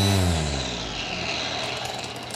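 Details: Craftsman V20 cordless string trimmer after line-feed cap repair using the original spring: motor whirs up smoothly and holds an even, steady hum with no rattle or stutter; running normally.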